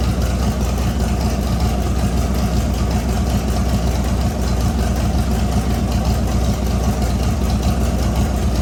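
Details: LS V8-swapped S197 on its first start after a rebuild with new crank bearings and assembly lube, no coolant yet: a deep, steady V8 idle with an even lope and no ticking or knocking. It sounds good, and rpm dips as the motor learns to idle.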